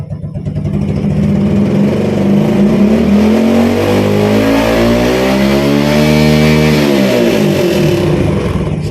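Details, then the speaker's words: Yamaha Vega/Jupiter Z carbureted motorcycle after cleaning carburetor main jet, pilot jet and adjusting needle clip to cure mid-rev stutter: engine pulls smoothly through mid revs and eases back, no stumble or hesitation. "Bro, for the middle rounds, you have recovered from the brepet and God willing, if you try this for walking, I guarantee it will be good, without any feeling of sticking or undut again in the middle rounds."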